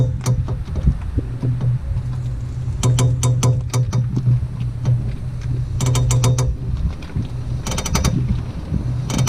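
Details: 2002 Ford Focus Mk1 estate: sharp clicking in quick bursts of several clicks while the axle turns, over a steady low hum, from a worn, defective CV axle joint.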